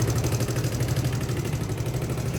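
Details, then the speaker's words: Suzuki Hayate 125 automatic scooter after fitting a replacement Dash carburetor (old carb faulty) plus a new air filter: starts instantly and settles into a steady, even low putter at idle with no knocks, misses or surging; normal engine sound. "เป็นปกติเหมือนเดิมนะครับสำหรับเสียงเครื่องยนต์นะครับ"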